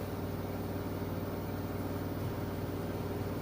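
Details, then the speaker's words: Like-new Samsung front-load washer with a load at top final-spin speed: steady low hum with even whir, no thumping or rattling; very quiet, smooth spin, normal. "very quiet if you across the room you probably wouldn't even realize it was on the spin cycle but that's its top speed right there"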